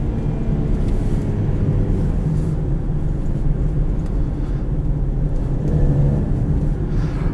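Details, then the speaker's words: 2014 Lincoln MKX on a test drive: deep, raspy rumble swells as the throttle opens over steady road noise, from a known exhaust leak. "so exhaust leaks are fun it makes me chuckle every [Music] time oh I love exhaust leaks that just makes it kind of you know what it sounds like a Raptor"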